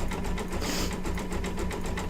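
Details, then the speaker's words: Embroidery machine stitching a Santa quilt block in silver thread after rethreading and backing up the design: quick, even needle clatter over a low motor hum. The earlier stitching problem is fixed, cause unknown, and the machine now stitches normally. "okay problem solved don't know what it was doesn't really matter all that i know is that it's fixed so yay"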